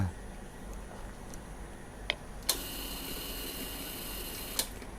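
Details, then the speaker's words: At key-on of a Ysuku with the seat off and the microphone near the tank, a newly replaced fuel pump clicks, then whirs faintly for about two seconds and cuts off cleanly, priming fuel to the throttle body normally. "So korang dengar kan, bunyi bermakna dia sedang mengepam bahan api ataupun petrol pergi ke throttle body, ataupun kalau karburetor lah, tapi karburetor pula."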